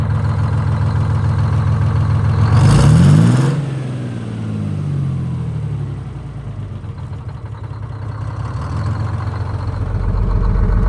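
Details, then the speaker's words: Detroit Diesel 6-71 in a 4104 bus, after coolant-in-oil repair with a $4 part and multiple oil changes, taken to the governor for about 60 seconds: deep rumble surges once, then settles into an even, steady beat; normal run at governed speed. "let's take it up to the governor again for about 60 seconds and then yeah and then we'll shut her down"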